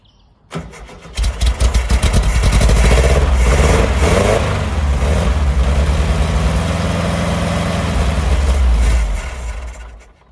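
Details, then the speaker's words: 1970 VW Type 2 Bay Window, 1641cc air-cooled engine, not started for about six months: cranks, catches and revs a few seconds then dies, runs only on starting fluid; fuel apparently not getting through, cause not confirmed. "that's just still only easy stops yeah that's true"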